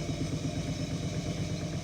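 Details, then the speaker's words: Indesit washing machine after bearing replacement that required cutting the drum housing: fast, even high-speed spin hum with a smooth regular pulse and no rumble or grinding; the new bearings sound healthy. "right we're now entering uh quite a high speed still no problems amazing difference new bearings have made"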